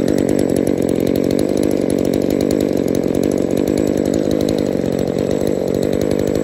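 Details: Trash-picked two-stroke chainsaw after full service, new metering diaphragm and carb overhaul: crisp, even buzz with no stumbling, surging or dying out; engine running healthy.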